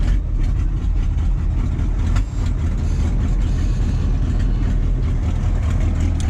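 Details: 1985 GMC 3500 with 6.2 Detroit Diesel, after crank-no-start repair work and glow-plug cycle: catches with slight early hesitation, then settles into a steady, even low idle; normal start.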